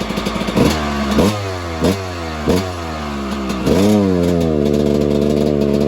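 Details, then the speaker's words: 1997 Suzuki RM250 two-stroke dirt bike that won't rev out. It has low-end power but bogs past about quarter throttle. Each throttle stab rises briefly, then flattens and falls back. "It gets power, on the low end, but it bogs really high after about quarter throttle-ish."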